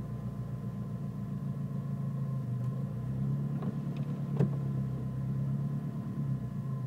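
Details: Nissan Micra turbo petrol engine with rough idle that sometimes cuts out when braking: low rumble with lumpy, uneven beat and no clean rhythm; rough idle, cause not determined.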